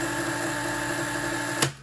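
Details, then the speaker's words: Super Deluxe box fan believed to be from the mid-1980s, missing grill, dirty, running on low: steady electrical hum with thin high whine cutting out abruptly at switch-off; owner says it makes that sound but still works great; cause unclear. "yeah it makes that uh sound but um we're gonna start on low i mean it still works great"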